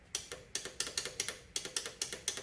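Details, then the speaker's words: Yamaha Enduro motorcycle with points ignition being revived, kill switch suspected bad: sharp dry clicks, about eleven in under three seconds, each a crisp snap from the electric-start starter solenoid; normal solenoid engaging. "what's cool about this thing I believe it has electric start here's a starter solenoid listen"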